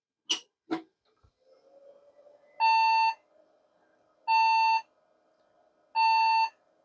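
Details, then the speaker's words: Custom late-1990s to early-2000s beige tower PC at first power-up after salvage: three long, even beeps of about half a second each, repeating every second and a half. Repeated POST error beeps, suspected to be memory; RAM contacts cleaned afterward. "are getting some unhappy noises. And my feeling would be related to memory."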